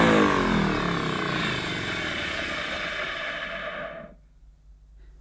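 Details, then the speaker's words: Electrolux 550 upright vacuum cleaner running: loud, coarse buzzing roar that doesn't settle, then cuts off; rough-running vacuum motor. "it's sort of beats as it sweeps as it cleans but yeah that is that's a bit rough isn't it folks"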